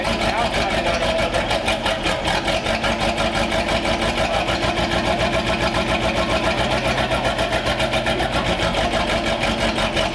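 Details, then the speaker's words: 1932 Ford Schroll Coupe, Olds engine on its stock distributor with vacuum advance not hooked up, first run after fuel squirted in the carbs and a fireball. Lumpy uneven idle, heavy pulse about once a second; it is loading up, setup not correct, but has oil pressure. "we got the run the exhaust sounded really cool um it was loading up obviously we didn't have like a lot of stuff set up correctly"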